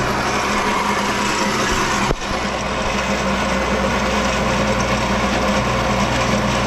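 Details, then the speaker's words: Infiniti G37S at idle before power steering pump replacement: steady low moan over an even idle that doesn't follow the engine pulses, with grinding heard on startup; owner suspects a worn, groaning power steering pump. "it sounds like it's the power steering pump because I'm also hearing some grinding noises when I start the car"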